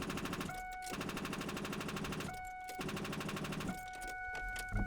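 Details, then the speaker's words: Truck with its battery deliberately drained completely: turning the key gives a rapid machine-gun chatter of clicks and a steady warning chime but no cranking; the battery is too flat to turn the starter. "so as I said you can see we're completely dead dead in the water"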